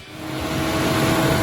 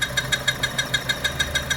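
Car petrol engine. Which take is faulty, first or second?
second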